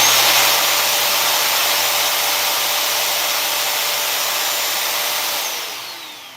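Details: Vacuum cleaner with a different replacement motor swapped in after the first motor blew the fuse, wired without the fuse: loud steady high whine running evenly, then spinning down when switched off; sounds healthy, swap works.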